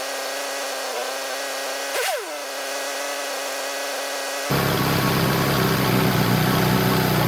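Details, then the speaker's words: 1967 VW Beetle engine running on a stand after rear main seal replacement, valve adjustment and timing set: even steady idle with a smooth unchanging beat and a loud fan whoosh when opened up; healthy normal idle. "Timing set, we're gonna lock that down. She sounds like a happy little engine."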